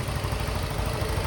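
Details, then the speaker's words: Yamaha Mio i 125 scooter after an engine teardown and repair; its oil had not been changed for 6 months: steady, even low idle with no knocks, ticks or rattles, quiet again; normal idle. "Tahimik na. Tunog motor na ulit ang motor ni bossing."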